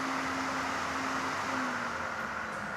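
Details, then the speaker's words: Homemade 12V four-fan GDSTIME 120mm brushless window vent for a Honda Freed, run from a mobile battery through a speed controller: turned down, the low fan hum drops and warbles unevenly. It is fine at full speed. Fan warble at reduced speed. "少しゆっくりになるんだけど変なね、うじうじうじうじうって音がしてもうなんか話にならないです。"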